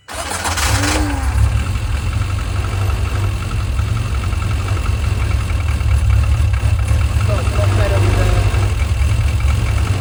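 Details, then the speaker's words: Mini 7S on the dyno, fully cold, brand-new carb, possibly flat battery: rough catch after cranking, then stumbles and kicks back under a heavy low rumble; timing suspected well over-advanced, starter possibly at fault. "Kind of runs and then tries to kick back on itself. It could be the starter, but it sounds like timing."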